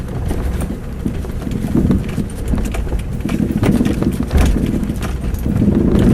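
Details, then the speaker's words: 4-year-old Mazda 6 driven over bumps with a knock from the right front suspension: irregular dull clunks with each bump. Strut silent block and upper ball joint already replaced, disconnecting the reaction rod changed nothing, and mechanics cannot find the source. "Передняя подвеска, правая сторона, стучит. Мастера ищут, не могут найти."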